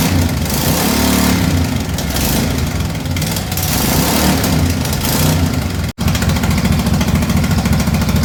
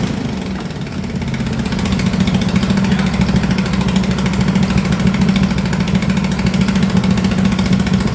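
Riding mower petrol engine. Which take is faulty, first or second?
first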